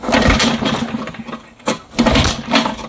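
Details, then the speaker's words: 1960s Mercury 3.9 outboard, sat about two years, new impeller, fresh stabilized fuel, needing choke: catches in ragged uneven bursts, sputters and dies, won't hold idle; suspected plugged intermediate and pilot carburetor jets. "I might have spoke too soon see Nemesis right here she just doesn't want to continue looks like I got lucky on the first shot because clearly she doesn't want to continue"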